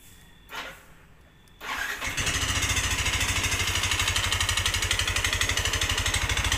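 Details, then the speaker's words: Yamaha NMAX with rough sound and thick smoke: starts to harsh clattery idle with hard knock every beat; suspected worn piston slap, cause still being analysed. "sedikit kita akan mengulas perkiraan ini di bagian piston suaranya Kasar banget sebagai teman-teman yang pernah kita dengarkan dulu di e awal tadi"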